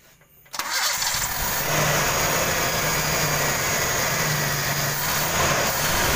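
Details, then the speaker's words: 1995 Toyota Kijang 5K cranks and catches, then idles slightly uneven and hissy; idle abnormal, stalls; leaking distributor vacuum advance upsetting idle. "Kenapa? Karena dia agak kurang ini ya, hidupnya kurang normal."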